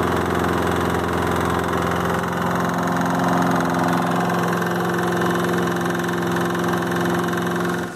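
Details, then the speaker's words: Lawn mower engine running with a huge, loud, steady knock every turn, from a worn rod bearing; engine already replaced, old one opened to find the cause. "so in a couple of previous videos I worked on one mower and I got it running but it had a huge loud knock to it right"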